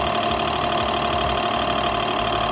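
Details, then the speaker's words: Car wash high-pressure plunger pump after second rebuild with correct parts order and torqued: smooth, even mechanical hum with no knock; normal pump operation after repair. "Beautiful. Nice and smooth. We're pumping, baby."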